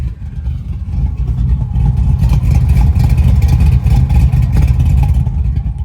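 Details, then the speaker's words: 1980 Chevy Malibu with 540 cubic inch big block Chevy from mud truck, new Holley EFI, warming up: deep lumpy V8 rumble, throttle blips climb and settle evenly, quieter than mud truck; healthy idle and revs. "It's not as loud as the mud truck, but it still opens up like a mother when you give it some gas. Sounds really good to me."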